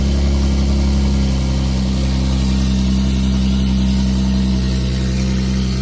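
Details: Twin-turbo swapped widebody Nissan S12 Silvia after first start in 5 years: smooth even idle with steady low hum, no knocks or hunting; running cleanly.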